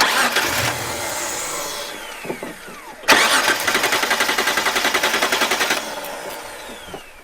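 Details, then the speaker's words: Petrol six-cylinder Mitsubishi Pajero, about 15 years old, stopped in the bush and won't restart, fuel cap off, owner suspects vapor lock: starter cranks steadily about three and a half turns a second but never catches; crank no start, cause unconfirmed. "we've got a bit of a stoppage here um the pagero stopped and won't start again feels like a vapor lock or something"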